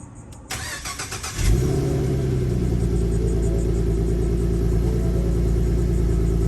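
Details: 2015 Ford Mustang V6, first start after BBK headers were installed with stock cats and exhaust: starter whirs briefly, then the engine catches and settles into a steady, even idle with a low rumble and no misses; normal idle.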